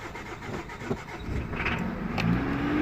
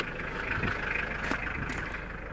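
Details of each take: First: 2000 Mitsubishi Pajero 2.5-litre diesel, crank no start with no ECU communication: the starter turns the engine over steadily and it tries to catch but never fires; a fuel supply problem is suspected, not confirmed. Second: 2000 Mitsubishi Pajero 2.5 litre diesel, previously crank no start, now running off a temporary fuel supply (blocked tank or pipe suspected): steady, even diesel clatter at idle with no misses or hunting and no smoke; normal idle.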